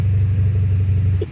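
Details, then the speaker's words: 2004 Honda CR-V (2nd gen) with stolen catalytic converter: loud, deep droning exhaust rumble that then fades away; unmuffled roar from the missing catalytic converter. "Bruh, do you hear how loud this is right now? Oh my god, it ain't even that loud right now, but check this out."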